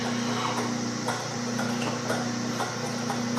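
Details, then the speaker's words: Small lathe drilling a go-kart rear-wheel part with a sharp bit, pilot hole taken to just over 1 3/8: even motor hum with light, steady cutting chatter, no squeal or labouring; the bit is cutting cleanly and well. "few things in this world better than a sharp drill bit."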